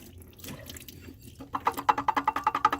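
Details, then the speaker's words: 2011 Dodge Durango 5.7 Hemi water pump turned: rough rasping bursts two or three a second, bad bearings grinding, not yet leaking. "Bad bearings, man. Hadn't been leaking yet, just making a little noise. Well, a bunch of noise actually, some grinding noise."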